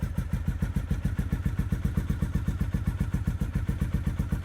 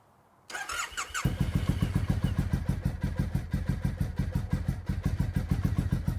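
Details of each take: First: Triumph T100 twin just started after sitting in the garage most of the year: even, regular exhaust thumps about four per second with no misses or knocks, settling into idle; normal idle. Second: Triumph T100 motorcycle first start after sitting in garage most of the year: steady starter chugging about three and a half beats a second for seconds before engine finally catches and fires; long cranking before start.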